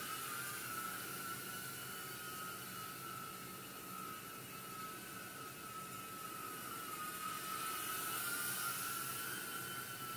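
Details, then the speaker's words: Blade Inductrix micro quad hovering indoors gives a high, steady whine of tiny motors with a faint, fast buzzy rattle on top; a rattle can mean a broken motor arm, but none seems broken. "can hear mines rattling a little bit you're gonna get some rattling with this thing especially got something broken and you have a rattle it can mean that you broke one of those armatures that goes to the outside"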